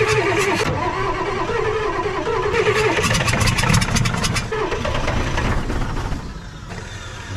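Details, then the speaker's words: Ford 6.9 IDI diesel, sat in a backyard about six years: injection pump powered at 24 volts and starting fluid fed in, loud uneven cranking catches and builds into a rough, rattly diesel run as it fires; doesn't even smoke. "Oh, she's gonna go. Listen to this, man, the old prick. She wants to live."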